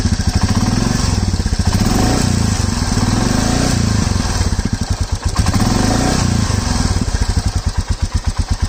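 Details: Royal Enfield Meteor 350 single-cylinder at idle: steady thumping with a light quick tick riding each beat; ordinary tappet (valve clearance) noise, nothing wrong.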